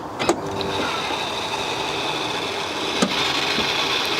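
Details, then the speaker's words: BMW 760Li (E65/E66) automatic trunk lid after spring/shock replacement: thin, steady motor whir with a high whine and clicks; the hydraulic pump runs but the lid won't lift; no leak, owner doubts low fluid, suspects air in the system. "So it just doesn't want to lift up. As you can see, the motor is working, but it just doesn't give it that"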